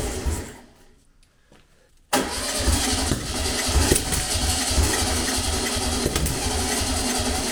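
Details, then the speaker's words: Long-dormant 1200 VW Beetle air-cooled engine on a test stand, with easy start; after a pause catches and churns roughly and unevenly, never settling; plug leads wired anticlockwise like an MGB, but this distributor rotates clockwise; misfire from wrong firing order. "for all the piss taken I did about the firing order I got it wrong I had it I had to go in the anticlockwise the mgbs distributor rotates anticlockwise this one rotates clockwise as you're looking at on"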